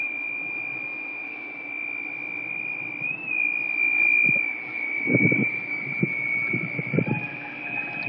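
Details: Holland Pools pool equipment: steady thin high squeal, wavering slightly in pitch, with some low knocks underneath; source unknown, owner unsure where it comes from.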